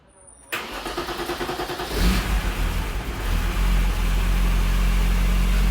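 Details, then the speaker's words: BMW E34 M5 S38 engine first start after timing chain replacement without removing the head, cooling system being filled with heater on full: short crank, smooth steady idle with no timing chain rattle. "make sure the heater was on full blast and lighting the car really idle and it made no noise whatsoever"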